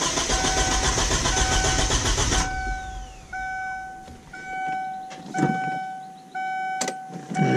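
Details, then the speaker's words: 1999 Kia Sportage after new fuel pump install: about two seconds of cranking with no fire, then a chime; owner suspects a forgotten ground wire, not confirmed. "see why it won't start but i forgot about a ground wire probably why i wouldn't start"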